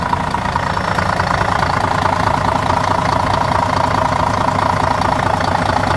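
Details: Setra S 315 bus (Wagen 83) at idle: steady, even diesel idle with a smooth rhythmic chug and no knocks or misses; engine running healthy.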